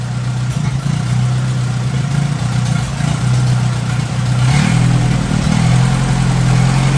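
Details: 1957 Hercules flathead four-cylinder engine with magneto, just revived, oil topped up after being a quart low, antifreeze circulating, warm but not hot after over 20 minutes; low steady idle with constant beat, no knock or tapping; normal idle.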